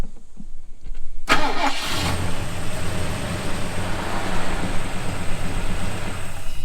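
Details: Project car SLEEZY just after an oil change to 15W-40, its first in about 20 years: short crank, a clean catch and rise, then a steady, even idle without misses or knocks; normal start and idle.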